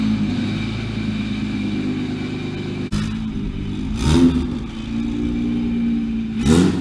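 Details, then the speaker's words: BMW 335i single turbo started after sitting three months, ran a little rough at first: now steady, even idle with light throttle blips settling back cleanly; engine runs smoothly. "And obviously it ran a little rough at first, but listen to that idle right now."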